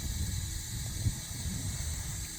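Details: Water supply line after Moen valve replacement, valve reopened: steady soft hiss over low rumble, normal refill flow.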